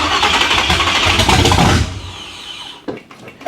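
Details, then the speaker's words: Loud, ragged open-header V8 with uneven firing that stumbles and dies on the first start of a 383 stroker in a 1987 Chevrolet Monte Carlo SS with a Stage 3 200-4R transmission. Misfiring; owner suspects plug wires came off, possibly the choke. "Yeah, I think she's misfiring. Hold on, guys. It's all part of the drama of trying to get things like this right. It's exciting, though. We're close, man. It did sound nasty, didn't it? Oh, yeah. Open headers?"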